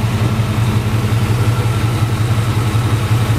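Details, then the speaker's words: 1988-95 GM fullsize truck, engine not fully hot, after ignition timing set with timing connector unplugged: deep steady even idle, exhaust tone better, less valve stick; normal idle. "you hear the exhaust tone. It sounds better. A little less valve stick."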